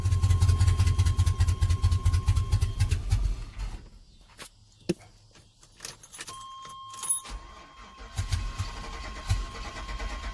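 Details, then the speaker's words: 1992 Chevrolet Silverado with swapped 5.3 V8 on factory TBI harness, first start attempt: starter churns about three seconds with no firing; crank no start, no fuel pressure at the rail, fuel pump not working. "See if I got any fuel pressure at the rail. Alright, so got no fuel pressure there. Fuel pump's not working."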